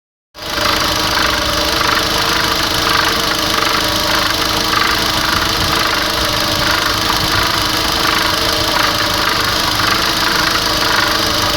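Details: Chery Jaggi QQ6 at idle: steady engine with fast, light, even ticking knock from inside the engine; engine knock, source unidentified.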